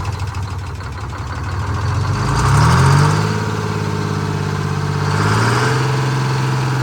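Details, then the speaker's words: Detroit Diesel 6-71 in a 4104 bus, after coolant-in-oil repair and oil changes, idling while contamination clears: idle slowly swells and sags, rising around three and five seconds, never settling; governor idle hunt, adjustment deferred. "for idle just got that hunt but I don't want I don't want to adjust that until we get all cleared out of there"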